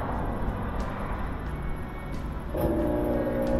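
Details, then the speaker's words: GE washer after broken belt and modified motor speed sensor replacement, spin test with no water: low motor rumble, a firm shift at about 2.5 seconds, then a steady hum as the drum spins on low; working normally. "here we go it's spinning so it starts on low spin and we'll continue right on up the high"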